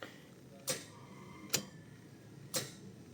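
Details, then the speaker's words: Car that won't start after a stop: sharp single clicks at each key turn with no cranking, battery strong and dash lights steady, so a starter fault is suspected. "Pero pagka ganito narinig 'yung pitik yan. Possible starter 'yan."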